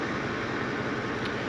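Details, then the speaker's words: Ford F150 5.4 3-valve V8 idling after cam phaser and timing chain replacement, microphone near the exhaust: steady, even rumble with no rattle or ticking. "but she's idling now it sounds good it's not rattling seems to be doing everything right"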